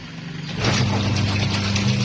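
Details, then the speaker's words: Tornado washing machine after repair: the motor starts and settles into a steady, even low hum with no rubbing or scraping; previously the agitator blade rubbed on a ridge in its recess, which was removed. "ودي كانت الغسالة بعد لما خلصنا شغل"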